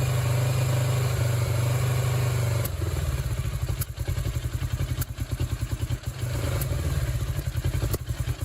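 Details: 1996 Suzuki GS500, engine flooded: a steady drone drops into a lumpy, stumbling idle with irregular pops and thumps, likely purging flooded fuel. The petcock vacuum tube was unplugged at the time.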